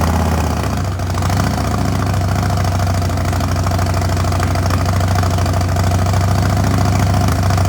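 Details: Yamaha Raider V-twin started after gas tank removal, air filter and spark plug replacement. Steady, even V-twin beat with deep low rumble, no misses or knocks: normal running.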